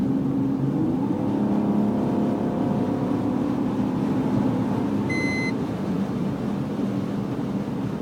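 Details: BMW E46 330 with the engine running: a thin tone rises and falls with revs, plus a brief beep; whine present, source unclear.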